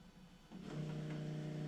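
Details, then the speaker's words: Supercharged Nissan VK56 V8 in a Nissan Gloria with Link ECU, not starting on low fuel pressure, both pumps switched on: steady low electric hum of the main fuel pump running, surge pump not yet heard. "Now it's going. That's the big one. Not hearing the other one, but the other one will start when we crank it."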